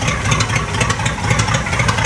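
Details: 1959 Cadillac V8 with three two-barrel carburetors, on its first start, fired after priming the carbs: an uneven, lumpy idle with irregular pulses and stumbles; it runs rough at first, later smooth.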